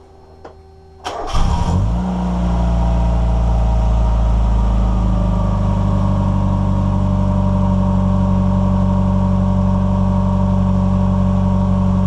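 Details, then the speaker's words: NA Mazda Miata right after adjusting the airflow meter: the engine catches after a brief crank, flares, then settles into a steady, even idle. It idles okay. "okay it's actually running and [Music] idling okay or it was okay"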